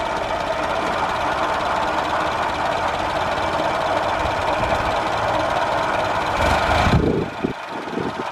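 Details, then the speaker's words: 1989 Nissan 4x4 pickup, eight-plug four-cylinder, off the road seven to eight years, ignition timing adjusted at the distributor. Steady, even running, then it drops and settles to a smooth idle; timing sounds right; normal idle. "it's pretty good this thing idles it literally zero it says on the dash"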